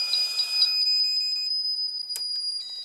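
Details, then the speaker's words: Pyramid PS-36KX ham radio power supply before repair, output dropping to 2.7 V under load: high, steady electronic beeping repeats over a quiet background with the LED blinking; protection alarm beeping, cause not yet known. "so the first thing I'm going to do is turn it on and you can hear the protection circuit is active obviously you can also probably see the light or the LED rather blinking on and off so the power supply is indicating that it has an issue"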